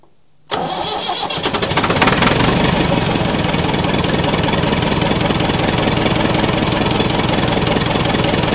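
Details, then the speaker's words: Massey Ferguson 178 diesel on a 50-year-old cane haul-out tractor, sat for years, cranked at full throttle with a line loosened: steady cranking, never fires; lift pump and filters flow, but injector pump suspected not delivering enough fuel. "it looks like we've got enough diesel coming out of the inlet pipe going into the injector pump but it looks like we just can't get enough"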